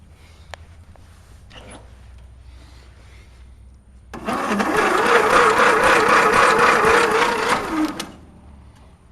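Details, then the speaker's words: Mastercraft race tractor engine, spark plug out, weak battery, rear end stuck in gear: about four seconds of steady cranking at around four beats a second, never catching. Spark is possibly weak or absent. Cranks but won't start. "seems like it's spinning a little bit quicker this time just for fun see if we can check for spark see if he's even getting"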